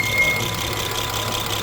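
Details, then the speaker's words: 2015 Acura RDX V6 idling with a blinking check engine light: slightly lumpy, uneven beat; live data confirms a cylinder 1 misfire count of 102, others zero; oil residue found on that spark plug. "let's check the live data so here we can see we can confirm the cylinder number one total misfire is 102 times and the rest of the five are zero"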